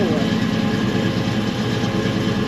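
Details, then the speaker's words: 1964 Chevelle V8 racing car: deep, steady idle burble with even beat, no knocks or misses; pressure, temperature and oil pressure good, but it ran lean and poorly on track after changes; suspected carburetor secondary circuit problem. "The whole pressure's good. temperature is good, oil pressure is good, it sounds great"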